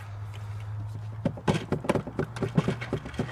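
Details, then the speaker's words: Lada Priora: irregular hollow knocks under the dashboard over a low engine hum, from the heater radiator hose tapping against the panel; fixed by sticking on foam adhesive tape. "многие не знают а многие наверное и знают в рах есть такая проблема тупо под торпедой что-то стучит но никто не может понять что это вот этот"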